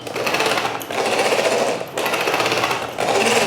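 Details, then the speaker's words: MJX Hyper Go 10208 RC truck, new out of the box, after a few minutes of indoor driving. Bursts of harsh high-pitched grinding from the rear driveline with each throttle pull, about a second apart, from the pinion slipping on the motor shaft. "I was driving this within the house, and after a few minutes, the drive line started to sound a bit weird."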